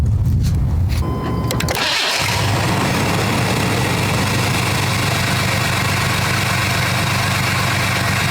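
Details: Cold start on new Odyssey AGM2 TPPL 12V battery at 12.56 V resting after weeks in freezing weather; short crank, quick catch, steady even idle, no misses or knocks, charging 14.32 V.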